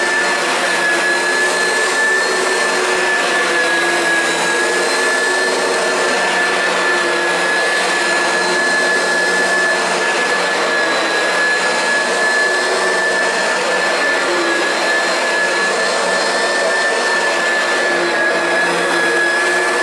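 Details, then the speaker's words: Oreck XL Classic upright vacuum, over 20 years old, after replacing the original brush roll with failing noisy bearings: steady, even whine and airflow rush with no grinding or rattling, much quieter, normal running. "sounds good to me no more bearing spaz out sounds seems like it's working a little better too"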